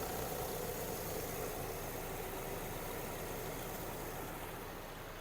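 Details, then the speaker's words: 2006 VW Golf Plus 1.6 MPI petrol, 195,000 km, no oil leaks, compression good, no crankcase blow-by or smoke: quiet, smooth idle with no misfire or uneven beat, slowly easing off; healthy four-cylinder. "компресія е не сапунить димить не доїть в не троїть все"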